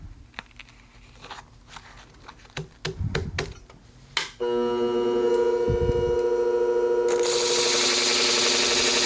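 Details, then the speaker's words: Sharpening a Geib curved grooming shear after switching to a fresh 400-grit disc: a few taps, then steady whirring that becomes an even, rough hiss as the blade bites. The disc is cutting properly and raising a burr. "Ah, yeah, you hear the difference in the sound? I'm actually doing something."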